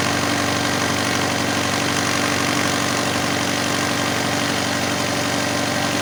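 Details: Alfa Romeo 156 Twin Spark with intermediate idle adjustment system, customer complaint of 3,000–4,000 rpm idle: steady, fast, even engine drone that stays high with no dip toward normal idle. Idle too high; cause suspected, not confirmed.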